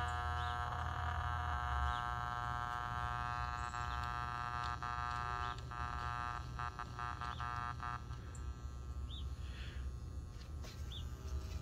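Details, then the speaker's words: Late-1940s/early-1950s Ford (Zenith) 6-volt AM tube car radio with loctal tubes, powered up with a speaker and antenna while one tube is shorting; steady low mains buzz from the speaker, constant in level. Mains hum, probably from failed solder joints on the aluminum can. "buzzing is probably due to the failed solder joints on that aluminum can"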